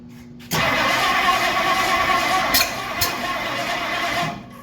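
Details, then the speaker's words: 1964 Ford Galaxie, first start attempt after 30+ years sitting, exhaust cut off: starter spins about four seconds with uneven churn but never catches; owner suspects something 180° out, unconfirmed. "this is why you don't trust other people's work I'm willing to bet this is why this was barked 30 years ago I didn't even think the check to see if this was 180 out"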